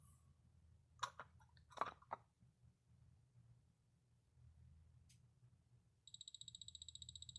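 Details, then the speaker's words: Orthofix Physio-Stim Lite 314L after a blown-fuse repair, its output picked up through an amplifier: a quiet hum, then a steady run of even electronic ticks at about five per second, showing the stimulator pulsing normally. "yeah so I hear something yep it sounds like there's alternating current"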